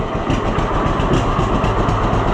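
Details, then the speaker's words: Freddie the Fiat old two-cylinder tractor, easy start with barely any cranking, then even rhythmic putt-putt idle with steady firing and no misfires; runs well since the upside-down magneto was corrected. Normal idle. "Barely even crank it over and it's running. He was right. Ever since we figured out that that magneto thing was upside down, this thing has been a very awesome runner."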